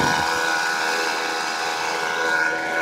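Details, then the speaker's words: 2008 Mazda 6 i, 2.3L four-cylinder, at idle: steady high whine with rough edge at constant pitch, first suspected power steering pump, traced by listening with a tool to the alternator; alternator bearing noise, alternator to be replaced. "that's the problem right there good alternator"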